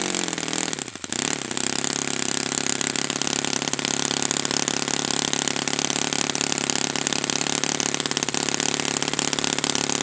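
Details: Brand-new Saito FA-100T twin model engine on test stand during break-in run: high, even buzz holding one speed without misses or surging; running perfectly, clean and steady, normal.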